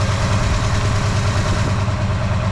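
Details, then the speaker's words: Ford 302 V8 before rebuild: deep, lumpy idle with an uneven beat from a misfire; one header reads over 200 degrees cooler, a dead cylinder, another is down, and there is noticeable blow-by. "So just from that, we can definitely hear there's a bit of a misfire there."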